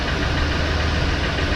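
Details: 2004 Ford Expedition Eddie Bauer 5.4L 2-valve V8 at idle: dull, even knock under each firing beat; owner suspects piston slap, same noise on another Expedition, unconfirmed.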